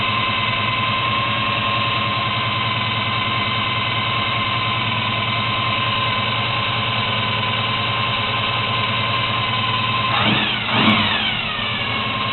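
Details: 1972 Chevy Monte Carlo, small-block 350 V8 on its existing carburetor (not dialed in) before FiTech EFI install, faulty factory starter: idle with a thin steady whine over it, then a quick throttle blip; whine source still unknown.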